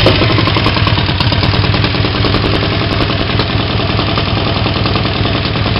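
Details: Triumph Tigress 250 scooter idling after a full rebuild, running a rebuilt Zenith MK17 carburetor. Loud, raw rapid puttering with a sharp spitting edge where the right-hand exhaust pipe has blown loose from its mounting. The exhaust leak affects the note; no valve clatter is heard.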